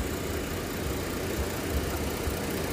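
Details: 2008 Jeep Grand Cherokee 4.7L 4x4, running about an hour with all accessories on, alternator hot, drawing 62–90 amps: smooth, even idle hum with no rising whine from the charging side; the alternator sounds healthy.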